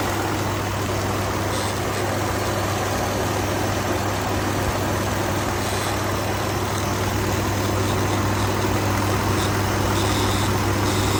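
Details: 2019 Ford F-150 XLT 5.0 V8, bought used at 43,000 miles, idling with a steady low buzz over a slightly uneven rough beat; owner reports rough idle and intermittent stalling, cause unknown.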